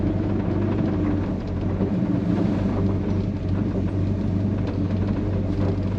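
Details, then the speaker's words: Frame-off restored 1971 Chevrolet C10, 350 cubic inch small-block V8, TH350 automatic: deep, steady rumble from the dual exhaust with an even beat and no misses or tapping; the engine purrs effortlessly at idle. "Yeah, I mean it idles and just kind of it purrs. Yeah. Effortlessly. It's got a great sound coming out of the dual exhaust."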